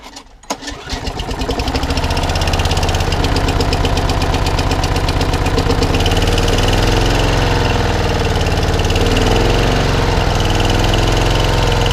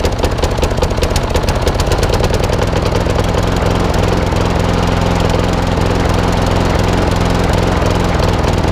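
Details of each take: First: Mower engine not run for about a week, just finished, fourth blade now fitted: pulls to life quickly and settles into a steady, even run with only slight speed drift and no knocking; normal running. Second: Old Masport lawnmower with a Briggs and Stratton engine, after a full service: rapid chugging idle with a loose, uneven beat and occasional skipped firing; owner suspects the carburettor needs cleaning again, possibly the coil too.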